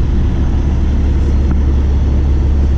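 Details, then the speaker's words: Cummins diesel truck after installing CM2250 short-block fuel pump with new tappets, plungers and barrels, no check engine light: steady even idle with deep low rumble, fan cycling off, no knocks or misses; sounds healthy. "good. Fan go off. Sounds good."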